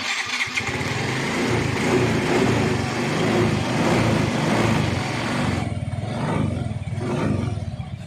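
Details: Yamaha Mio i125 scooter catches and settles into an even, steady idle with no tapping, rattle or chain clatter; it sounds healthy.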